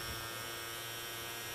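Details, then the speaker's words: Ford Ka 2007 1.3 petrol parked 2 years, no-start: electric fuel pump removed and fed 12 volts gives only a strained hum with high whine, tries to run then stops; pump motor seized. "hear that kind of tried to run and then it stops"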